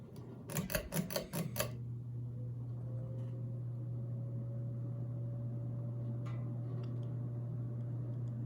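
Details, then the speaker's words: 29-inch Emerson Northwind polished brass ceiling fan, steep blade pitch: a few clicks then quiet low hum with thin steady mid-pitched motor whine; otherwise very quiet. "got a pretty audible motor whine to it if you can hear it very cool little fan"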